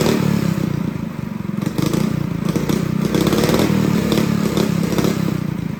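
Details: Honda GX200 clone kart engine, carb jet drilled up to a 77 bit with good throttle response, not yet under load: steady, even single-cylinder beat holding speed with no misses, surging or stumbles; normal running.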